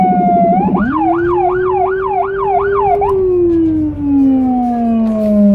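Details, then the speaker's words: Federal Signal Rumbler on an emergency car in Budapest, recorded from inside the car. A pulsating 180–360 Hz low tone sweeps up and settles under the high wailing siren: normal siren with the Rumbler low tone. "The Rumbler Siren has a pulsating, low frequency sound between 180Hz-360Hz."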